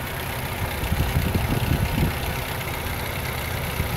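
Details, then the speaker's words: 1997 Chevy S10 idling: an uneven, clattery, diesel-like rattle that comes and goes and gets worse as the engine warms. A timing chain is suspected; the chain was replaced. "sounds like a diesel kind of and as i get gets warmer it gets worse"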